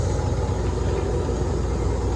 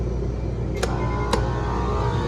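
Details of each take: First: Electro Freeze soft-serve machine with a remote condenser, after reinstall, cleaning and lubrication: a low steady pump rumble with no knocks or squeals while the barrel fills with sanitizer, stopping when full; the pump runs normally. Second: Electro Freeze remote-condenser soft-serve machine, newly wired three-phase: compressor starts on freeze with a rough heavy low drone and sharp clicks; beater spins counterclockwise, confirming wrong phasing; fix is swapping any two power legs.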